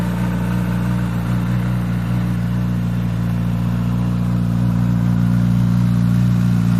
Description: This hot startup rattle noise started after first motor oil change on the official service (1000 km service). For me this rattle noise is not normal.